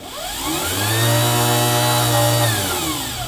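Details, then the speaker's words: EV controller (about 10 kHz, current-mode throttle) driving a PMDC motor through a single-transistor output stage with no load: whine climbs smoothly to a steady high hum at full speed and holds, then eases off; normal no-load run. "so when I drive current into this with no load it basically just spools up as far as it can go"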